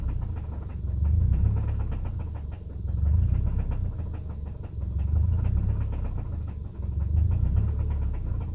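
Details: 2005 Subaru naturally aspirated EJ253 flat-four idling: deep knock under the low rumble, surging about every two seconds; horrible rod knock.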